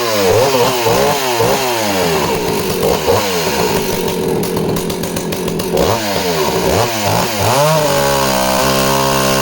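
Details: Danarm 36 'hot rod' chainsaw, which misfires off-load: revs swing then settle into a strong steady snarl cutting wood; misfire disappears under load, no stutter.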